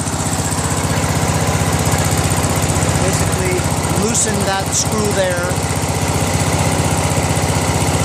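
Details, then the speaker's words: Craftsman LT1000 with a 21HP Briggs opposed twin after a governor adjustment; at lowest throttle the governor holds an even, steady low idle with no hunting, a normal idle. "the governor held it there the lowest throttle"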